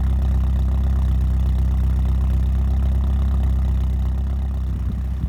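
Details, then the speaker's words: 1987 Porsche 924S after clearing a clogged fuel system, replacing a blown fuel pump fuse and a missed intake gasket: it fires right up into a steady, even low idle pulsing about four beats a second, with no knocks or misses. Normal idle. "here in a moment I'll fire it up for you and you'll get to hear it so as you can see it fires right up"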